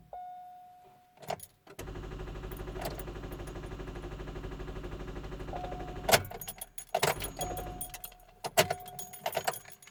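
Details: 2005 Chevrolet Cobalt no-start: fast, even machine-gun clatter for several seconds on each key turn with no cranking or firing; no-start with rapid clicking.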